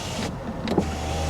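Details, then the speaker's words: Power window on a salvage-auction car: smooth one-second electric whir ending in a soft stop thump. The front window works normally. "window works so does that window those are honestly the only two windows i care about"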